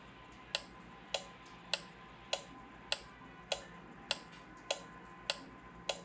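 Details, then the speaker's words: Five-pin automotive relay on a plug-in relay tester: crisp, even clicks a little over once a second, coil pulling in cleanly, tester showing solid green; relay good, normal clicking. "again the clicking green light and now I have a solid green light meaning this is a good relay"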